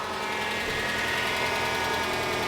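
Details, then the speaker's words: 2011 Toyota RAV4 2AR-FE 2.5L four-cylinder, just over 150,000 miles, first start after teardown for oil consumption: fast even light ticking over steady idle as hydraulic lifters pump up; normal after sitting without oil. "That noise you're hearing, lifters need to pump up. That is actually normal for the 2AR when you let it sit for a long time with no oil."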